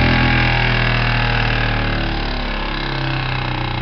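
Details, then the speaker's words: Jensen #60 steam engine converted to a ball bearing on the drive shaft, runs on 1/2 to 30 psi: revved up, fast even chuffing at about four beats a second over a steady hum; smooth, healthy high-speed running. "Here we go. Fire it up. Now let's rev this puppy up."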